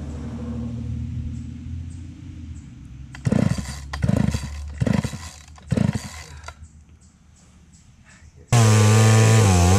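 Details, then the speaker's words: Craftsman 3.7/Poulan 3700 chainsaw, unused for years: catches in short rough bursts that die within a second and won't keep running, needing the choke repeatedly; stalling, with the fuel line later found cracked. "all right so this one here we were just trying to run it and it kept stalling out you had to keep pulling the choke but it wasn't really our cable so let's see if we can get it running a little better"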